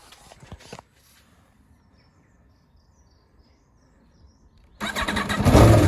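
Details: 2019 Aprilia Tuono V4 1100 Factory, about 5,000 km, Akrapovic slip-on, cold start after winter storage in the Netherlands: quiet pause, starter catches, fires into a loud, deep, lumpy idle with throaty exhaust; normal healthy cold start.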